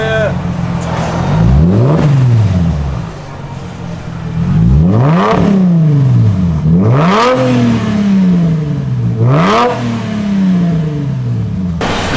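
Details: Mercedes SLK 350 after full transmission valve body overhaul and TCM replacement: four clean free revs climb and drop back smoothly, crisp and even with no knock, stumble or rattle. Normal revving.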